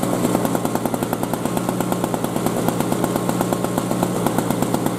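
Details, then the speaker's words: 2003 Murray single-stage snowblower that last ran five years ago and had been leaking gas: small two-stroke revved up, fast, crisp and even with no misses. Running cleanly. "so let's try revving it up again and we'll see what kind of torque we have"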